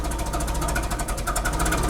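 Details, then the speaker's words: Forklift engine idling steadily and evenly after distributor was marked, removed and replaced; distributor being rotated to find where the engine likes the timing, before setting base timing at the crank TDC mark; normal idle. "all right success no less she starts and runs we move our distributor here we can kind of hear how if it likes more or less on the timing"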